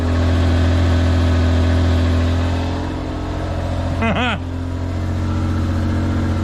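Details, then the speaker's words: Japanese Kei mini truck off the road for years, after a squirt of starter fluid: steady, even low idle without surging; runs on its own. "Let's give this thing a little squirt. crank it. Are you serious? It's running on its own."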